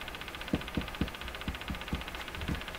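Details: Crosley 43FB battery farm radio during alignment, on the AM band with the volume down: sharp ticks at uneven intervals, roughly two a second, over steady hiss; an intermittent ticking has returned, fault unknown.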